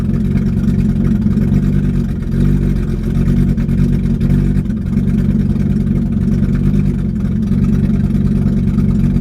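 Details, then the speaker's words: BMW E30 with worsening hard-starting/flooding issue: after its worst-ever hard start, idle wavers and dips every couple of seconds with a lumpy skip, gradually clearing, then slight surging; owner unsure of cause. "Got a little bit of skip to it right now, but it smooths out. Actually, this is the worst it's ever started."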